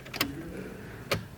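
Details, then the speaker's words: RB26-swapped Nissan S13 with new Haltech ECU, first key-on: two sharp relay clicks about a second apart with no pump hum; fuel pump not priming, suspected because the ECU has no base map loaded. "Key off. Key on. It's clicking, but it's not priming."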